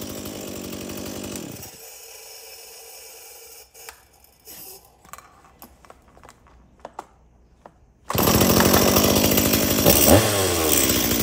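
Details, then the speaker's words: Stihl MS170 chainsaw that previously would not shut off with the switch: runs evenly, cuts out cleanly at the stop switch, restarts and holds steady high revs; normal running. "okay so it starts it runs it oils and it shuts off of the switch again"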